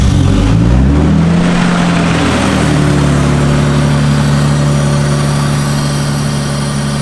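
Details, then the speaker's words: Barn-find R32 Skyline RB engine that won't rev past 4,000 RPM, intercooler disconnected, with a large vacuum line leak and cracked hoses: a quick blip, then a low idle that wavers and hunts; rough idle from vacuum leaks. "Now, one thing that I've learned with these RBs is that they are very sensitive to vacuum leaks of any kind, and of course you can see we don't actually even have the intercooler connected. We also have this massive vacuum line leak right there."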